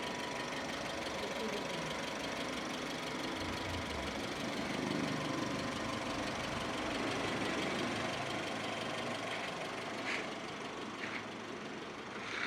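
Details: Maruti Suzuki SX4 ZXI top-end petrol, 2007, single owner, started up to show engine sound: steady idle under a busy hiss, even pulse with no loud knocks or misses; engine sounds healthy.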